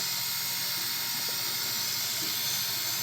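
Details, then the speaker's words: 1970s GE lunchbox-style refrigerator compressor bench test: steady hiss of air blowing from the open discharge port over a faint even hum, no knocks or rattles; compressor pumps normally. "Wow, it's blowing quite a bit of air out that. So, it's an air compressor now."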